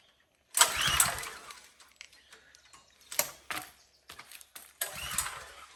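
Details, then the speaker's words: Power washer small engine, gas on, choke on, plenty of oil, clean filter and carb: three pull-start bursts of whirring cranking that never catch; suspected no spark, not confirmed, and the plug looked clean. "Sounds like it isn't getting any spark. Plenty of oil. Choke is on. Fuel's on. Filter's clean."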